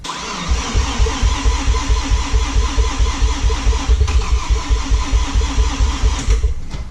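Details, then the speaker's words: Mazda RX7 FD rotary, crank no start: the starter spins evenly at about two beats per second for seven seconds but never fires. The owner will change the four plugs for spark but doubts that is the cause and fears a blown seal. "all right well looks like I'm going to stay working on this I'm gonna change these plugs see if I can get the fire up"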